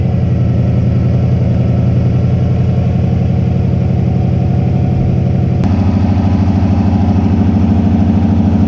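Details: Subaru turbo car idling rough and misfiring, with a lumpy, loping, stumbling idle; a hole was also found in the manual boost controller hose where it touched the turbo, but the idle air control valve (IACV) turned out to be bad.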